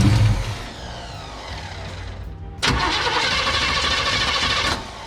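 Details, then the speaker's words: Chevelle after sitting 15+ years in a Texas barn, last run caught fire: steady cranking with a brief louder burst but won't run; carburettor fuel-starved, owner suspects mechanical fuel pump isn't pumping. "Hasn't gotten fuel yet. Come on. wants to start. I don't know if that fuel pump's worth it or not."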